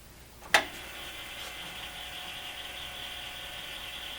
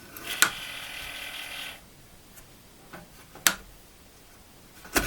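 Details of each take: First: Commodore 8050 dual disk drive, recovered non-working from the trash and cleaned up, reading a directory from drive 0: one sharp clack, then a steady, even whir with no scraping or grinding, normal operation. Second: Commodore 8050 dual disk drive recovered from the trash, door closed: a thin, hissing whir with a faint squeal, then clicks. The noise comes from the spindle itself, not its top, and is much milder than its earlier screeching.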